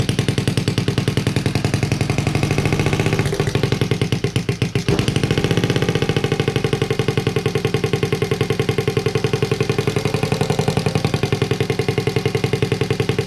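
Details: Honda Z50A monkey bike after fitting CR70 stator with original flywheel, manifold not connected to silencer: loud crisp pops three to four a second with raw open-pipe bark; normal running, open exhaust.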